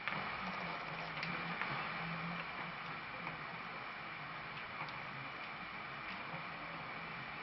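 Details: Motion picture (waterfall picture) drive gears grinding after grease applied while moving: steady dry grinding hiss with faint irregular ticks about four a second; quieter than before but not fully stopped.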